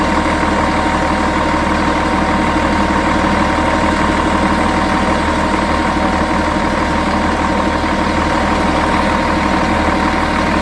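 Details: Volvo Olympian bus, D10A-245 diesel, idling with a lumpy beat around four per second and a steady high ring on top; weird idle sound, cause unknown.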